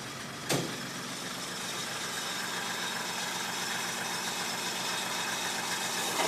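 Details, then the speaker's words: 1995 Mercedes E300 idling cold, low and slightly lumpy with an uneven beat under a steady hiss; idle is rough when cold and set too low: rough low cold idle. "Idle is rough when cold. It's just too low. It's idling too low."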